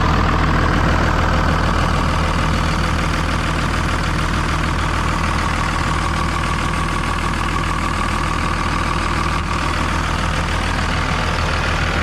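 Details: 24 valve Cummins diesel in a school bus after lift pump replacement: steady even clatter at about 200 beats a minute, no misses or hunting; running right, check engine light now off.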